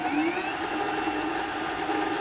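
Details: Supra SV-80 VM55 TV/VCR combo, quick-start deck, playing a colour bars test tape with speaker off, held in forward search: smooth, steady mechanical whir with constant high tone, no catching; normal forward search.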